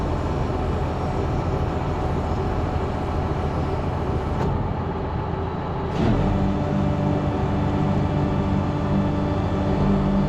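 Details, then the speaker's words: Tow and Fert Multi 1200 sprayer, repaired after worn seals and a failed non-return valve, with an O-ring leak still suspected: tractor drones steadily under spraying load, less whiny after topping up hydraulic oil, normal hydraulic operation. "sh sounds good with a bit more oil in it not so whiny but yeah perfect under to spray now"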